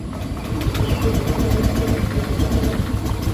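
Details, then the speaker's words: Honda Beat scooter that died on the road, fuel pressure about 40–42, no fault codes: hand kick-cranking gives light, uneven chuffs that catch once or twice and die; compression very weak. "Pakai tangan aja gampang. Ya. Ini kompresinya lemah."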